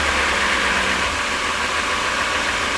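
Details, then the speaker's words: Ford 350 van with 5.4 L V8, engine doghouse removed for access: rough, slightly lopey low idle with a hiss, and a sharp suction sound on hard throttle instead of smooth acceleration; vacuum leak suspected, smoke test to follow. "You'll notice that uh low idle. It can get a little bit lopy at times. If I crack the throttle really hard, you can hear that sharp suction instead of a smooth acceleration."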